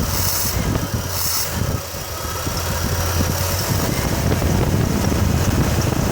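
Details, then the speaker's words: 1989 Chevrolet S10 with 4.3 TBI V6 after TBI rebuild: low, uneven loping idle with noticeable shudder/vibration at low rpm, worsening over time; owner suspects running rich or fuel getting into oil, plus slight belt chirp; cause not confirmed. "there's definitely vibration at the low rpm"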